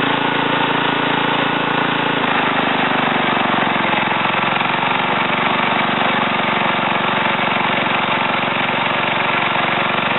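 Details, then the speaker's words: Ariens TA20A Trans-a-matic rototiller after engine rebuild and plate-clutch repair, carburetor untouched, started in about three pulls: small single-cylinder quick even putter settling after a couple of seconds then holding steady; normal running. "i'm going to put this camera back on a tripod and then start it start it up and um run it through the ground here a little bit out my little wooded area"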